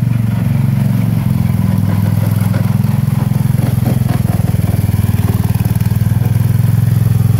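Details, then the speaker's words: 1970 Sears Suburban tractor, 16hp Tecumseh OH160, running after repair: low thumping engine with rough clatter on each firing pulse varying with revs; loose front engine mount (rubber mounts suspected shot) lets the underside bolt head clunk against the bracket. "yeah the noise you're hearing that clunking sound is the bolt head on the underside hitting that uh bracket"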